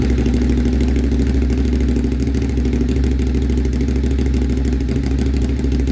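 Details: Motorcycle just fitted with an SC-Project CRT exhaust, joints sprayed with water to check for leaks at startup: steady, even, low exhaust rumble with no puffing or ticking; sealed and running healthy.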